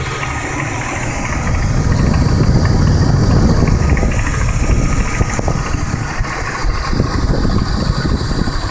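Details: 1999 BMW E46 323i idling with a light, fairly regular tick or knock over the low engine rumble; the spark plugs have been checked and are fine, no dashboard warning lights, and the cause is unknown.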